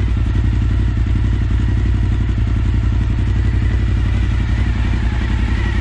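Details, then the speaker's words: Suzuki SV1000S V-twin from insurance salvage, first start on jump-wired battery; deep, lumpy but regular twin thump at idle, no knocks or rattles: normal idle. "down here any significant knocks or bangs other the thump of too dirty great Pistons"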